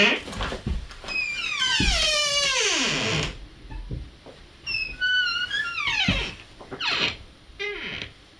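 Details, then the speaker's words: A door hinge that started squeaking over the years, before any silicone lubricant: long, wavering, high-pitched squeals that slide down in pitch as the door swings; a dry hinge. "So this is a door that's started to squeak over the years."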